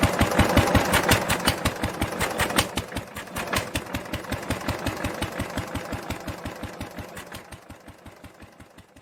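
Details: 1946 International LBBR 3-5 hp hopper-cooled engine off a hay press, with a homemade glasspack muffler fitted: crisp, even exhaust pops near three a second slowing and fading as the engine coasts; normal running.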